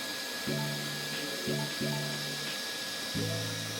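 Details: Creality K1 Max 3D printer after clearing an extruder clog, with the filament spool loosened. Short bursts of steady low motor hum as the head moves, with no clicking or skipping gears; the extruder is feeding normally.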